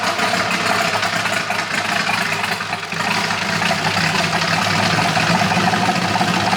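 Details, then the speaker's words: Polaris RZR with a swapped-in Yamaha Nytro snowmobile triple-cylinder engine, running after its fuel issue was sorted; more sensors still to be added. Steady throbbing idle that dips briefly, then picks back up and runs evenly; normal running. "All right, so the unit runs finally. Kind of figured out our fuel issue and uh we got to put a couple more sensors on this thing to get that premium optimal horsepower."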